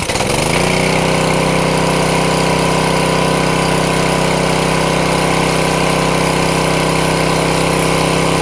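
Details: Craftsman 163cc small single-cylinder engine, previously would not start, now fixed, catches within a second and settles into a steady, even run with a smooth, regular beat and no misses.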